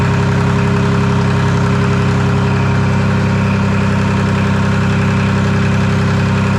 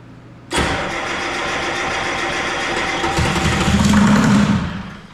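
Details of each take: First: Detroit Diesel 3-53 two-stroke diesel, first start after 25 years idle and camshaft reversed to correct orientation: even, steady beat about 220 pulses a minute, no knocks or misses; warming to about 100–150 degrees, no exhaust fitted; running nicely. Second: Detroit 3-53 two-stroke diesel, first start attempt after 25 years; rebuilt in 2000 with the camshaft installed reversed front to back. Catches on a shot of ether, runs ragged about four seconds, then fades and dies, burning only the ether.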